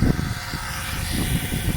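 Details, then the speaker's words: Oil extractor pump during a DIY engine oil change: pump note starts low, then turns loud and rough with gurgling slurps as the oil level drops and the pump sucks the last oil and air from the near-empty sump. "Au début, le bruit il est beaucoup plus, le bruit de la pompe est beaucoup plus bas. Puis là, ça dit... Donc en fait, ça vient du fait qu'il y a moins d'huile."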